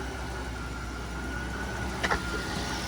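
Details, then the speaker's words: Mercedes S600 W221 ABC (Active Body Control) hydraulic pump running during rodeo mode of an ABC flush (Febi MB 345.0 fluid, 8 L), system already hot, suspension tilting: steady low hum, faint thin whine, no groaning or knocking; normal quiet pump operation. "can hear my um my system is pretty quiet which is good there's not much noise it's making to be honest"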